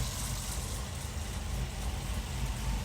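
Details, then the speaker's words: 2018 Camaro ZL1 V8 after spark plug work for random misfire (P0300, flashing engine light), plug wire boots not clicking fully at the coil: deep, even idle with steady low burble, no stumble or skip; started with no check engine light. "Hopefully no check engine light started with no issues. No check engine lights or anything."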